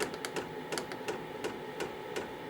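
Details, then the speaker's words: KROAK TB2 8 kW 12 V diesel heater at startup, fan slowly ramping up: sharp, even, clearly audible clicks about three a second over soft fan hum, not felt through the decoupled housing; normal dosing pump ticking. "ihr hört jetzt die Pumpe. Das Klackern der Pumpe ist doch gut vernehmbar. Also ich kann es gut hören."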